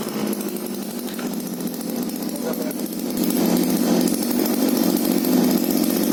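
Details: Taiwan TU 26 two-stroke pump engine running after a stuck off button, jammed by chemical water and dust, had its black wire disconnected to restore power: buzzy high-revving note rising then settling into a steady even run; normal running.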